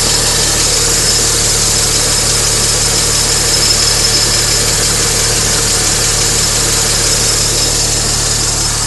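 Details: Mini Cooper S petrol engine idles steadily with a light, fairly quick ticking, about three taps a second; owner suspects the timing chain area, heard with engine running from inside with window open; cause unconfirmed.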